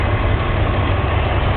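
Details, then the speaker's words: BMW M54 straight-six after engine bay wash and oil leak check: smooth, even low idle with no knocks, ticks or whine; power steering pump, AC compressor and alternator all working and sounding good. "Power steering pump. Everything's working. Alternator. And it sounds good."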